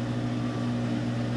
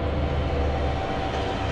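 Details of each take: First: Whirlpool Cabrio washer, model WTW8240YW0, about 8 years old, mid-spin after replacing the tub bearings, seal and shaft kit. Steady, smooth low hum with no rumble or grinding; much quieter than before, with no bearing noise. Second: Whirlpool Cabrio WTW8240YW0 washer, about 8 years old, before tub bearing and seal replacement. A loud, steady, deep rumble through the spin that has been getting louder by the day; worn tub bearings.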